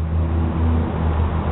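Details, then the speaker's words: 2001 Ford Escape V6 after replacing the idle air control valve (IAC); before, it would not idle and died off throttle; now it fired right up with a steady, even low rumble, no stumble or hunting, normal idle. "I showed you the symptoms and uh boy I tell you what fired right up thank you"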